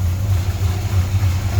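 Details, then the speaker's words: 1968 Chrysler Newport Custom with Holley Sniper fuel injection, warm idle after seven or eight minutes running, coolant at 150 degrees, holding target idle; steady even low rumble with no knocks, misses or hunting; air-fuel slightly rich; normal warm idle. "she's been running for i don't know seven eight minutes 150 degrees on the coolant temp it's maintaining target idle"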